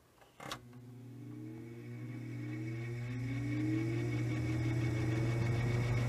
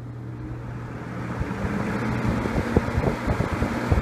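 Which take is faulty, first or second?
first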